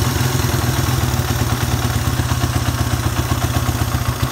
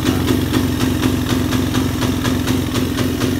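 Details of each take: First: Suzuki Satria F150 that had refused to rev, running after a ground wire was run straight to the engine: it ticks over with a steady pulse, then revs cleanly and freely without stumbling or cutting out. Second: Suzuki Satria F150: single cylinder putters at a steady idle and won't rev though the throttle is opened; also sometimes very hard to start. Owner suspects about 90% ignition, valves less likely.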